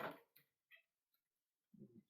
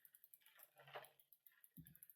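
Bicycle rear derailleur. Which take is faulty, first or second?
first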